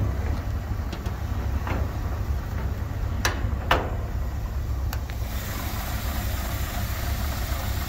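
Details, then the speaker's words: 1964 Ford Galaxie 500 convertible V8 with fairly new dual exhaust, hood open: steady, even low idle rumble with no knocks, misses or ticks; engine sounds healthy. "really nice sounding engine in it"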